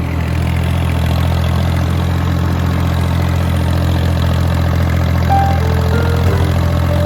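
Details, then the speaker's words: Kubota L1802 diesel tractor with front loader, idling after a hydraulic failure was fixed (pump changed first without success): steady, even deep idle drone with no knocks or whines, hydraulics working again; normal idle. "Unbelievable, it's working again. Huh, perfect. I'm so satisfied."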